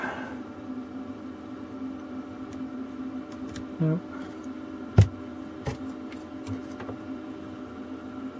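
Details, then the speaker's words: Desoldering gun vacuum pump after clearing a suspected blockage: steady low hum with an even rush of air and a few clicks, airflow now audible; normal pump airflow. "oh that sounds better now can hear the airflow"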